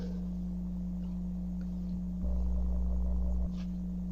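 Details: Church PA: constant low hum through the speakers that swells louder for about a second and never clears; low-tone ground loop buzz traced to the bass guitar DI box, fixed by pressing its ground lift.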